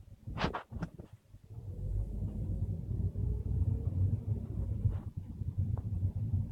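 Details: 2012 VW Golf Mk6 over speed bumps at 5–10 km/h: a few hollow clunks like lumber knocking, from the front suspension, then road rumble; worn front strut.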